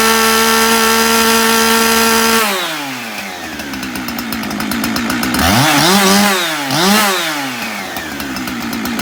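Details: Husqvarna 372XP chainsaw after replacing the bad ignition module that made it cut out when revved: steady clean idle, then crisp revs climbing and dropping smoothly without stumbling or cutting out; running right.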